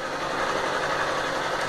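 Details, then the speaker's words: Honda CG Start 160 motorcycle single idling with a light, even tick and an injection chirp over a steady hum. The owner suspected valve knock, but the dealer mechanic said it is the normal 160 sound. "Aí chamou o mecânico deu uma olhada e disse: não, cara, aí tá normal. Esse é o barulho normal da 160."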